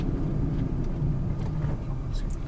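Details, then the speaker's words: Used petrol car test drive, braking after acceleration in gear: deep steady road rumble from inside, no squeal, grind or rattle, car stays stable; brakes and suspension judged fine. "तो ये देखिए rumbles आ गए हैं, हमने break किया है, break में किसी तरह की कोई आवाज़ नहीं आई। ये देखिए गाड़ी स्टेबल हो गई, रंबल ख़त्म होते से गाड़ी स्टेबल हो गई, मतलब सस्पेंशन में कोई काम नहीं है,"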